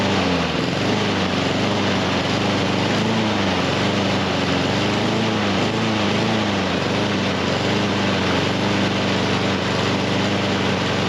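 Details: Husqvarna HU700F mower that won't stay running, after greasing parts and freeing a slightly stuck pin; single-cylinder beat hunting up and down, never settling, as if choked; auto choke staying on.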